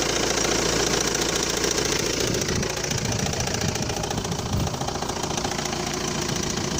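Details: Cold-start knock from the front of the engine at idle: a sharp regular knock about three and a half times a second from a crankshaft damper pulley (accessory drive pulley) that has come apart; delaying replacement can in some cases bend valves.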